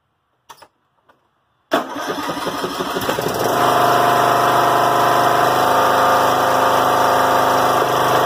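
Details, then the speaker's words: John Deere L100 rider, Briggs & Stratton Intek 17 hp, before repair: cranks, catches and races to fast steady speed, never drops to low idle even on low throttle, 2500–5000 rpm; governor ruled out. "that was that it was between 2500 and 5000 and it wasn't doing this wobbling it just not sure what was going on with that"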